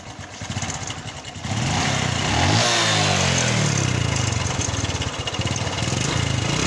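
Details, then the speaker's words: Honda Revo Fit injection motorcycle at idle after starting, white smoke from exhaust: a rough, uneven clattering knock following engine speed, from the side and front; owner suspects piston or cam chain noise, teardown planned. "jadi suara ini di sebelah k sama suara di bagian depan biasanya sih suara piston sama suara keteng kalau yang bunyi seperti ini"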